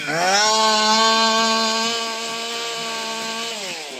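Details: STIHL MS201TC chainsaw, after a rebuild for zero compression and a non-running complaint: clean, steady high-pitched two-stroke buzz that holds, then eases down smoothly; it is running again, though oil is dripping.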